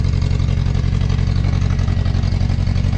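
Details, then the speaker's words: Toyota crawler, first start after an engine swap: fast, fairly steady low thumping idle with an uneven lope and no smoke. Owner suspects water or residual old fuel in the tank despite new fuel, and may drain the tank and check the timing. "But it sounds like there's water in the fuel. Might have to drain that tank out and put fresh fuel in there, but it's actually running on its own now."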